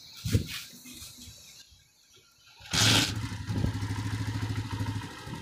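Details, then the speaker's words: 2015 Honda 125 motorcycle after push rod replacement and valve setting: after a few cranks the single settles into an even quick putter, previous tapping noise gone; normal idle. "यह थी हमारी start है आप देख सकते हैं अब को इसमें जो आवाज नहीं है बिल्कुल सॉफ्ट प्रूफ हिमाचल सॉन्ग बेहतरीन हो गया"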